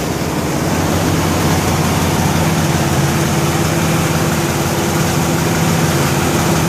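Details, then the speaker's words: 1963 Corvette Split Window Z06 with its period-correct fuel-injected V8, cold start in freezing weather. Dense, busy chatter over the low idle drone from solid lifters, plus a suspected small exhaust leak. "we'll go ahead and we'll fire it up got a little bit of an exhaust leak that sounds"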